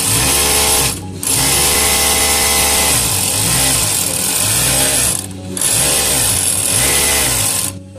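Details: Overlock machine suddenly making excess noise, running fast with the side cover off: a harsh, hissy metal-on-metal rub over the motor; the throat plate was loose and hardened lint was packed around the feed dogs.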